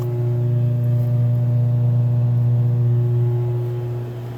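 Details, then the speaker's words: Multi Chef oven rear blower motor run in test mode: steady low electrical hum with no fan whoosh, motor energized but not spinning; humming means the motor still wants to work. "so now I don't know if you could hear that I tried hard to let you hear it but it was humming you can hear calm if that motor is humming that means it's still working it wants to work"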